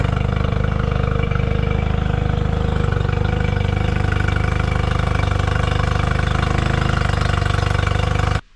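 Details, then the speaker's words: 2005 Honda 20 hp long-shaft outboard after carb cleaned of debris, panel off to watch water pumping; pumping and idling a lot better. Steady even low putter about 214 beats a minute, no hunting or misses; normal idle. "I want to see how well it pumps water here puming a lot better water iding a lot better"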